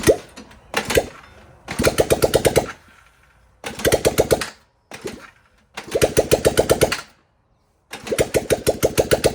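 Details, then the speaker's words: 1978 Honda CB400A Hondamatic 400, revived after 10+ years outdoors, after carburetor rebuild with new jets: catches in short runs with quick, even putter and clean blips, settling between stops; now firing properly, normal running. "I feel pretty freaking accomplished. We got this thing scooting. Well, it's running. It ain't scooting yet."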